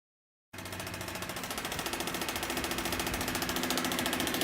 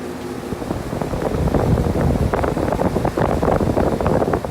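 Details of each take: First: Outdoor heat pump unit running in heat mode with rapid, regular machine-gun banging over the fan hum as the fan blades strike a warped shroud. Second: Heat pump outdoor unit after fixing fan blades rubbing the shroud (machine-gun banging in heat mode): steady fan whoosh with a busy, uneven texture and no rubbing or banging; blades now clear of the shroud.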